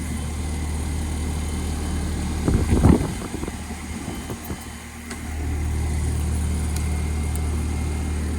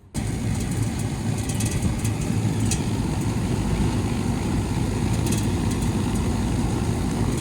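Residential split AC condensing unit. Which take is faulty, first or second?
first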